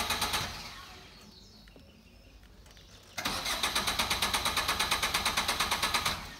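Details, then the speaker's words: Car cranks but won't start: even cranking pulses about ten per second for three seconds with no catch; caused by a loose battery cable, starts normally once fixed. "इनू यदी जी बैटरी वाली तार सी लूज सी हम आप फिक्स करती है तो गड्डी जी हम बिल्कुल ठीक है स्टार्ट हो चुकी है।"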